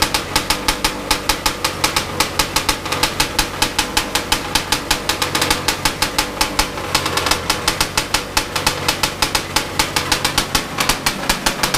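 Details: Big-bore stroker 277 two-stroke snowmobile engine, first start after rebuild with new sleeve, primed beforehand: crisp, rapid, even popping with no misses, holding steady throughout; firing cleanly and running healthy.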